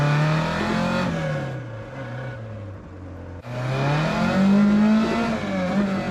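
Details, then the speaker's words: Mk2 Ford Escort, back on the road after warming up on the choke: loud raspy drone swells with each rev rise and falls off throttle; a very cheap, very worn-out exhaust system. "And that's the sound of a very cheap and very worn out exhaust system."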